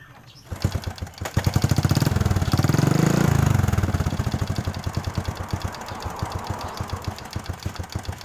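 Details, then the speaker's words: Honda Supra 125 / Karisma engine starting, revving and settling into a very rough idle with a hard clatter on every stroke; piston slap from a loose, worn cylinder bore and piston, blamed on poor oil spray; bored to 0.75 oversize. "saya teman-teman kedengarannya suara berisik di bagian mesin ini ini posisi langsung teman sekos isi langsam suara mesinnya sangat Kasar banget"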